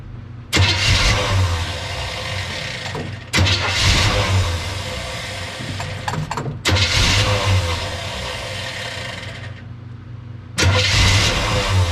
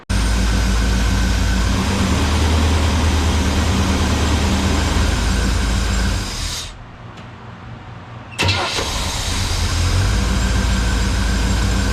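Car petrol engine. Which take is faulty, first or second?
first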